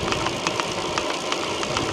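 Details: Chris King R45D bicycle rear hub, noise recurring after internals were previously replaced and little riding: sharp dry cracks several times a second, somewhat uneven, over faint background; rear hub crackling, cause unknown.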